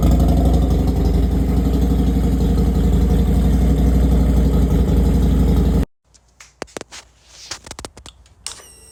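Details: Harley Road Glide after teardown and rebuild (metal was found in the oil), with cylinders, exhaust and cam cover reinstalled: an even, loping V-twin idle at about four beats a second with no ticking or knocking, then the engine shuts off. It runs normally.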